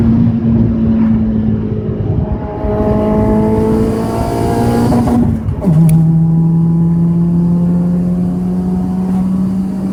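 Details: Audi A4 B5 1.8T revving up and dropping back: a raspy, chuffing edge over the exhaust note from an exhaust leak.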